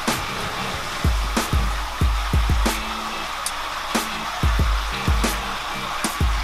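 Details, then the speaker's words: Aquarium sump drain on a newly filled tank: irregular glugging bursts about twice a second over running water. The fix is to adjust the gate valve on the main drain line until the gurgling stops. "So we have our tank full, and you can hear quite an offensive gurgling noise coming from the drainage system."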